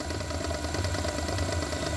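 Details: Usha mixer grinder, 230 V AC, before repair: fast thud-thud knocking inside under the motor's steady drone, persisting as speed varies; worn bushes and shaft causing knocking.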